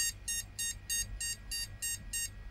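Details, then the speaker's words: Secondhand flea-market PC with no picture, booted with RAM removed: eight short high beeps, evenly spaced about three per second, a POST beep code differing from the one with RAM fitted; cause unknown, graphics card suspected. "Take the RAM out and let's see if we get the same bleep. Okay. So, start. No, that's different."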